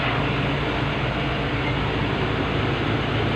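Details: Mitsubishi L300 FB with engine running and aircon on, after repair and recharge to 40 psi suction: even, steady drone with no hum rising above it; the compressor droning noise is solved and it cools well.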